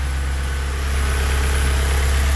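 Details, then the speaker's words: Honda CRX with swapped K24 four-cylinder on Haltech ECU, after confirming oil and fuel pressure sensors read correctly, fuel pressure about 43.5: smooth, steady low idle hum with no misses, ticks or surging, no fuel or oil leaks; normal idle. "this ising real nice no fuel Le nothing no oil Le sounds absolutely fantastic"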